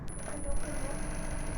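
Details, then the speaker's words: Industrial sewing machine running after repair: steady low motor hum, no repeating knock; earlier clacking came from the feed dog striking the throat plate, fixed by adjusting the feed dog via its nut. "นะครับไม่ดังแล้วนะครับเมื่อกี้ดังแก๊กๆๆๆใชมครับอันนี้หายแล้วนะครับไม่ดังลโอเคนะครับ"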